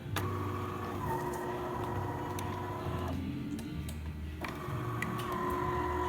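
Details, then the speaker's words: DeLonghi Magnifica after a tune-up for noises and slow coffee, with new brew gaskets and infuser, a lubricated transmission shaft and descaling: steady, clean motor whir, a brief pause and then resuming during a full test shot; normal grind and brew cycle. "now here it is working great so we're going to test it full shot"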